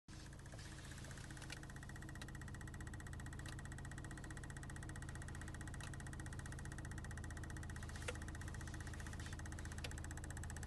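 Steady idle with a low rumble and a faint, uneven tick coming through every second or two; a light knock at idle, cause unclear.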